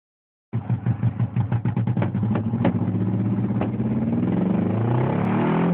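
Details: 1987 Mazda 929 LX, 2.2 inline-four with two-barrel carburetor, no catalytic converter: engine catches with a string of sharp irregular pops, then settles to a steady run; backfiring through a bad exhaust leak before the first muffler.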